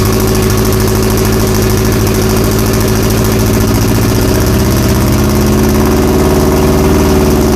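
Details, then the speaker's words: Drag-race Audi big-tire car on a FuelTech ECU, first fire-up: loud, lumpy, stumbling idle, apparently running on three of four cylinders (two coils heard not firing); only 16 psi oil pressure; plugs to be cleaned or replaced. "i don't think we're running on all four cylinders i think we're running on like three so we should pull the plugs and clean them and then start over or put a fresh set in it sounds like three cylinders"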